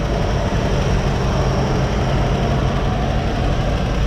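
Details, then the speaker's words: 1957 Chevy V8, warm, idling after suspected chatty valves settled without adjustment: smooth even low rumble with no top-end ticking; running like a charm, a slight clicking may remain. "i mean honestly i mean i mean it's running like a charm that sounds really good right now"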